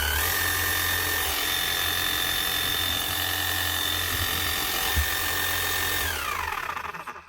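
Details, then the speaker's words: Makita HM0860C chipping hammer after repair of a badly burnt-out motor: new armature on the old, slightly worn crank. Steady high motor whine with an even hammering beat about four a second and a faint gear whir, because the gears aren't fully meshing; then smooth wind-down. "Not so bad. There's a wee bit of a noise of it from the gears because they're not completely meshing now."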